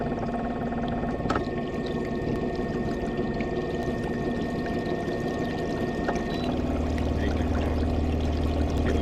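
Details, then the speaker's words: Minn Kota Riptide Terrova 24V 80 lb thrust trolling motor, under a year old, on a 20-ft boat near top speed (7.5–10, about 3 mph): whining electric drone with a rough low buzz building; shaft vibrating through the whole boat. "vibrating throughout the whole boat now. And this isn't vibrating, it's here. The shaft is vibrating."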